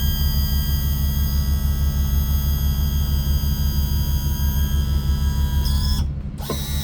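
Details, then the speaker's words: Yamaha F300 outboard on a Grady-White 307, cold 42°F day, after trim seal replacement and bleeding: steady low electric pump drone with faint rhythmic ratcheting, no gurgle or labouring; most air out, remainder expected to purge when run, normal trim operation. "but you can hear most of the air is out of it, and the little bit of air that might be in there still will come out when it goes for a ride, because it's going to push pressure against those pistons there and push all the air out."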